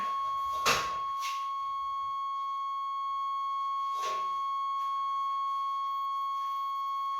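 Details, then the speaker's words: 1989 Chevrolet Suburban, 350 TBI with 700R4, sat 15 years, battery just hooked up: a steady, high, unbroken dash warning buzzer with a couple of clunks early; the circuit is live, not rat-chewed. "Well, we got a buzzer. That's a start. That means something's connected yet. Rats didn't chew everything up."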